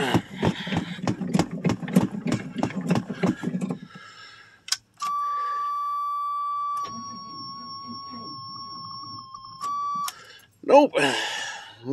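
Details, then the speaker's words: 1985 Chevrolet Suburban, cold start in snow after sitting a month and a half: slow labored starter churning about three pulses a second, never catching, then steady warning buzzer; weak battery, owner seeks jumper cables or charger. "my batter don't sound very good uhoh well better is going to hold [Music] up"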